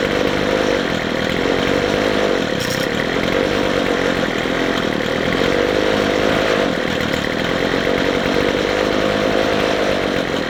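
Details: McCulloch 250C XL X-series two-stroke strimmer after the carburettor low and high mixture screws were turned out for more petrol. It now has a rough tick-over and holds a steady high buzz at full throttle without dying or bogging, running a lot better.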